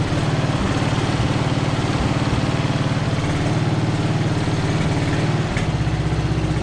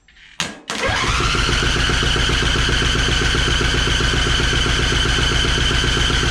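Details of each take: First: Free Craftsman riding mower, first start off choke: small single-cylinder engine chugging at steady, slightly uneven idle while fuel leaks out the line; cranked up easily despite the leak. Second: Free Craftsman riding mower that reportedly would not start, first start attempt with choke then off choke: brief crank fires almost at once into steady even idle; starts easily even without choke, though leaking fuel from the line.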